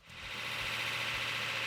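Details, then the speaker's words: Rebuilt numbers-matching V8 at first fire-up, 80 psi oil pressure, temperature starting to rise: steady even idle with a smooth low rumble and no knocks, ticks or rattles; engine sounds healthy. "80 lbs of oil pressure. Temperature starting to go up. Sounds really nice."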